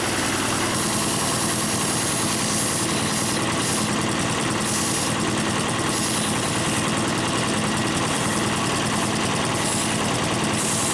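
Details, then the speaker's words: Harbor Freight air compressor with a replacement pump, first start-up, intake filters not yet fitted: loud, even pumping clatter holding a steady beat and growing louder as pressure builds, no knock or squeal; normal pump run. "it's actually building on pressure I hear it getting much much louder it actually sounds different too"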